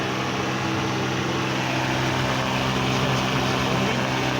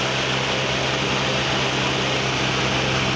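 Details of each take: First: 1989 Mazda 323 (BF) with ignition key off: steady, unbroken whirring hum as the radiator cooling fan stays running when it should stop; cause suspected, not confirmed. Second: 1989 Mazda 323 (BF) with AC on; its cooling fan stays on with the key off: steady, even rush of air with a low constant hum. Radiator and condenser fans run normally.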